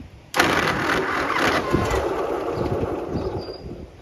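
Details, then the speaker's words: Abandoned Ferguson TO-35 loader tractor, reportedly with a broken shift fork in the transmission, started after years sitting: catches abruptly, then ragged, uneven chuffing with lumpy firing that slowly settles; rough but running. "know yeah what do you say guys that ain't too bad kind of sounds like a dog into a bucket but I mean I would expect nothing less"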